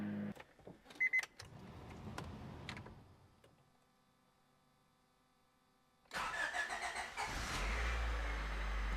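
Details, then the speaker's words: 1989 Honda Prelude Si after a new timing belt, coolant lines and clutch, with block sealer found in the cooling system: first start cranks, catches quickly and settles to a steady idle, no knocks or misses. "oh that sounds good oh wow all right clutch feels so good"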